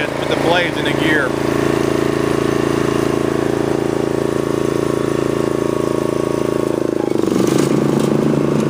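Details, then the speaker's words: Snapper riding mower, client's machine, in neutral with engine speed turned up and blades engaged: even, unbroken engine hum with blades spinning, no knocks, misses or grinding; engine runs okay and blades work, passing the function test. "the engine runs okay the blades work good don't have any kind of problems with blades they're good to go"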